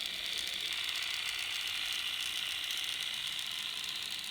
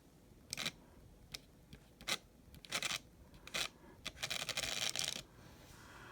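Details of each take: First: Untested N scale MRC RSD15 locomotive, shell on: fast, even, high-pitched gear whirr with steady chatter, no knocks or binding; a little noisier with shell on but manageable, normal gear noise. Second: N scale MRC RSD15 locomotive with Micro-Trains conversion, first track test with throttle turned up: thin motor buzz in short uneven bursts with silent gaps; stuttering run from dirty wheels needing heavy cleaning.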